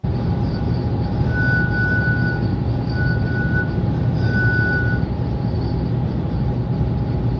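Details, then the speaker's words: Car with new TentBox roof tent driving home at night on motorway: steady road roar with thin intermittent whistle; owner thinks the wind catches the tent at certain angles, not constant. "And I did drive home in the night. It didn't make this noise all the time. I think it's when the wind just caught it at a certain angle"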